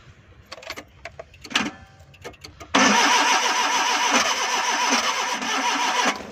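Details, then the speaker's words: Suzuki Ravi (Bolan) van with a morning starting problem on petrol and CNG, after fuses were replaced and plug current restored: clicks and handling, then the engine catches cleanly and settles into a steady even idle; normal start. "ये हमारा करंट आना शुरू हो गया है, तो गाड़ी हमारी बोल गई है, तो स्टार्टिंग की पोजीशन में चली गई है।"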